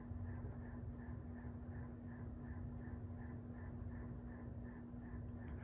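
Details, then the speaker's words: 1998 42-inch Encon Corinthian 3-speed reversible ceiling fan with light kit, on high speed. Steady, fairly noisy motor hum with a light even tick about three times a second; fan wobbles very slightly and vibrates. "yeah it's pretty noisy and high not a terribly fast high speed but it's definitely putting out a good amount of air"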